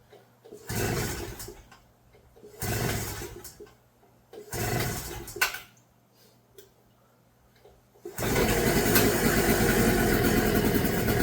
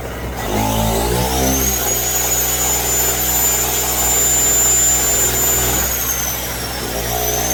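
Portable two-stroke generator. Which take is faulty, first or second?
second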